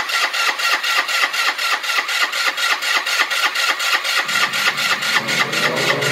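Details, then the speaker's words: GY6 150cc Chinese scooter, first start after replacing the problematic original carburetor with a new 24mm eBay carb; even cranking, catches cleanly and settles into a steady idle; starting and running healthy. "oh yes i want to stay and running holy cow sounds really good this is a sucker man that was a good decision"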